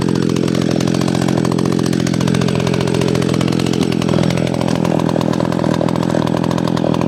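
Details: McCulloch SP-125 chainsaw with a .028 jet, two sizes down: screaming high revs in the cut with a thin, buzzy note that sags twice; owner thinks it runs a tad lean and plans a .029 jet.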